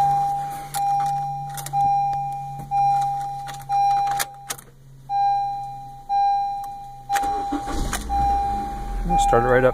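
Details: Honda Civic starting at about 30°F on a new 2 lb 300CCA LiFePO4 lithium battery replacing a dead 410CCA lead-acid: dash chime ticking, brief crank, fires straight up into an even idle; normal cold start.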